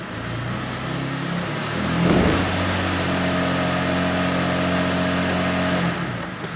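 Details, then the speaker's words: 2009 Jeep Wrangler 3.8L V6 with misfire codes (P0204 injector circuit) and the check engine light on runs smooth against the brakes in drive, rising then holding with no stumbles; the intermittent misfire was later proven to be a faulty fuel injector. "you can see the lights on but it sounds smooth hear that it sounds smooth when we rub it no dropouts or glitches there"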